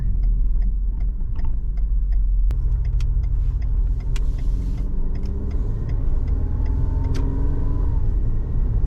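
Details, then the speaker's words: 2008 Ford Escape at cruising speed on smooth pavement: a low, steady hum under the road rumble from one front corner, a worn press-in front wheel bearing. It usually quiets when turning toward that side, but did not today. The front rotors are also warped. "I can definitely hear it it's a hum down in that corner but the big test to do is if I turn towards it"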